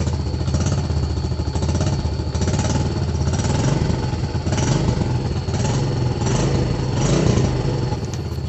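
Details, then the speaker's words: Yamaha Vega ZR motorcycle after engine overhaul for rough engine noise and white exhaust smoke, plus starter repair: steady, even single-cylinder beat with no knocking or rattling over street noise; normal running. "kemudian ya setelah jadi ini saya antar lagi ke rumah pemiliknya juga ya suaranya sudah halus dengarkan saja"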